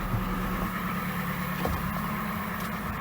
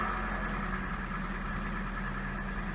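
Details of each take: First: Toyota Gaia at 425,000 km, after fuel pump replacement for jerking and stalling while driving: steady idle with a constant high-pitched whine and buzz from underneath. The new fuel pump is clearly audible. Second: Gaia at 425,000 km, just after fuel pump replacement and cleaning to fix jerking and stalling: steady, even idle with a faint high hum and whine from the new pump below; engine running smoothly.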